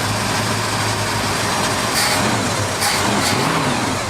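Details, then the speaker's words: 1978 Ford F-150 V8, previously flooded, after performance upgrades and a new fuel tank: steady even rumble with light throttle swells, no knocks or misses, the smoothest it has ever run, with good oil pressure; engine sounds healthy. "smoothest it's ever ran. Wow, okay. That's a whole new motor."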